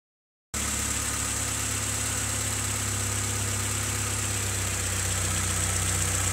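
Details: Honda CRX petrol engine at idle: a light, fairly regular tapping about four per second over the hum. Owner asks whether it is rod knock; unconfirmed.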